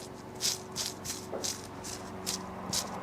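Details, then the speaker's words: Land Rover Defender 110 alternator, old bearings removed at auto electrician and spun by hand: dry, gritty rattle in repeated bursts about two or three per second; both bearings worn with play, replaced with new ones. "yeah that's had it that's noisy it's the other one yeah there's actually play in that one as well Yep they're done"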